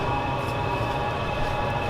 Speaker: so that's the fan running now so what we've got is we've got the pumps starting to prime because you can hear it clicking